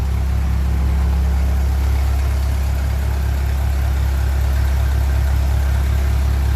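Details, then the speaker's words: 1957 Ferguson 35 TVO tractor after valve clearance adjustment and rocker cover refit with ageing gasket: deep even idle with no sharp valve tapping; much quieter valvetrain, and the thermostat housing leak seems sorted. "that does sound a lot quieter and the leak in the thermostat housing so far seems to be sorted"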